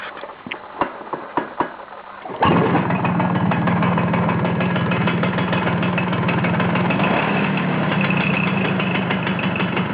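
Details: Vespa T5 engine: catches after a few cranks, then idles with a tinny metallic rattle riding over the beat; the metallic noise disappears when the clutch is pulled in; cause not identified.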